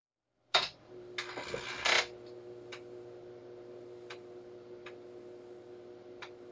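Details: Commodore 1571 disk drive after a burnt mains filter unit was replaced, connected to a C64 during speed and alignment tests: steady low motor hum with a sharp head tick about every second; drive spinning evenly and normally.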